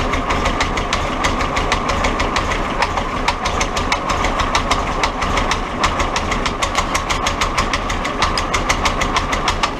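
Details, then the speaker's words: Willys Jeep CJ2a L134 engine, oil and PB Blaster squirted into cylinders, white smoke, burning oil: sharp ticks about three per second over a rough idle, loud internal mechanical knock; starts and runs otherwise, cause not confirmed. "So it starts right up and it runs good except for that knocking and the"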